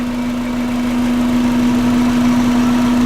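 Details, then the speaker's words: Subaru EJ20 petrol flat-four swapped into a VW Vanagon (Transporter): smooth, even idle around 800 rpm by gauge (sounds lower), no roughness; hangs up slowly returning to idle; loose belt chirping noted. "Okay, so there's true idle, and it looks like we're at about 800. And that's from the gauge, so I don't know how accurate that gauge is. It actually sounds lower than 800."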